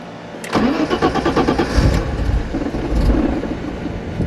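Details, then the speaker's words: 1991 BMW 325i E30 running Megasquirt 3; cranks and catches, then settles into an uneven loping cam idle with choppy exhaust note. "There's the cam idle. So we got a Mega Squirt 3 in there."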